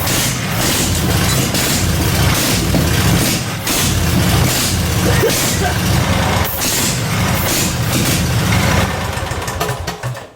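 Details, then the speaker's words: Off-road go-kart with a 16hp 479cc Briggs & Stratton V-twin swapped in for a Predator 420: loud, uneven V-twin rumble, lumpy at about four pulses a second, runs only on sprayed flammable fluid; owner suspects the carburetor needs cleaning to run on gasoline. "That is stupid loud. Sounds like a V twin. I love the sound of V twins. All right, so I probably have to clean the carburetor in order to get this engine to run on gasoline, but I don't have any carb spray right now."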